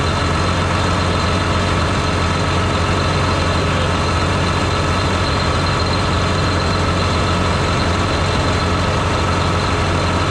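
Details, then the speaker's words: John Deere 8345R tractor diesel running after fan clutch repair while parts are reassembled; steady, even rumble at constant pitch with no knocks or misses. Normal running. "all right now I might go go ahead and fire it up and let it run for a while make sure everything's going to be okay while I put all this [ __ ] back on here so long now"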